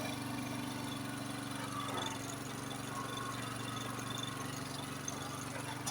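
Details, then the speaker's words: Serviced Honda HS828 snowblower, single-cylinder, started cold on choke, choke opened once warm; steady quick even putter, no misses or knocks, running smoothly. "once it warms up you can uh open up the choke plate see now it's running a lot smoother all"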